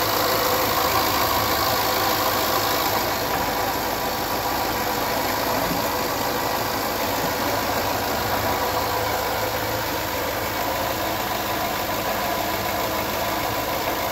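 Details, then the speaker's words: 2011 Land Rover LR4 petrol V8 at idle: an even, steady hum with normal ancillary whir and no timing chain slapping or rattle. "There is none. No slapping noise. Nothing like that. Just standard ancillary noise, motor noise."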